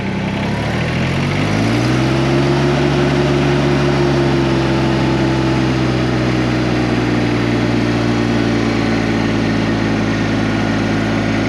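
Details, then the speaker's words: LS Tractors MT122 diesel tractor, throttle turned up to about 2,000 RPM shown on the gauge, the stated minimum (normally 2,500 or more): climbs from idle to a loud, steady high-rev drone with no knocks or misses; normal working RPM. "So to me, this is the minimum you should run at. Normally, you should be up around 2,500 or more."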